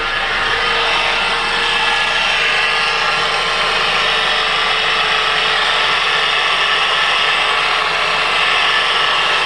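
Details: 2005 Mitsubishi Outlander 2.4 L 4-cylinder petrol, manual: thin constant whine above engine hum, in gear or not, rising in pitch and volume with rpm; alternator replaced with no change, owner suspects a belt pulley; cause unknown.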